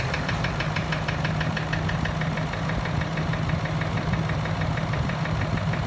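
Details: Range Rover Vogue TDV8 diesel after no-crank no-start repair, reassembled: catches and settles into an even steady idle with light regular clatter and no misses.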